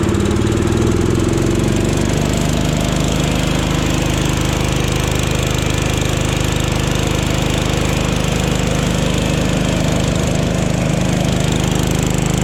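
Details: Jacobsen Chief 1000 tractor, Kohler single-cylinder, after fuel system repair, testing electric PTO mower deck: revs up, then holds steady even beat with deck engaged, pulling load normally; runs and operates pretty good.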